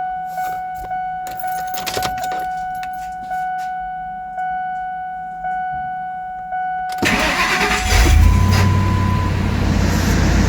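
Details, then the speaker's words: 1999 Ford Expedition XLT 5.4L Triton V8, first start after an oil and filter change. A warning chime repeats about once a second with the key on, then the engine fires promptly and idles evenly while the oil pressure gauge briefly reads nothing before rising. "I'm going to show how the oil pressure is going to stay at nothing when I fire it up for a few seconds."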